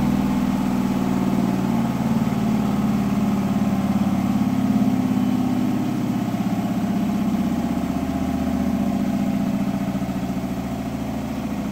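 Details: Hotpoint washing machine 1400rpm final spin: a bath sheet rolled so the machine judged the load balanced, then it was thrown to one side on ramp-up, leaving it unbalanced; steady high-speed hum with uneven heavy thumping, unbalanced load.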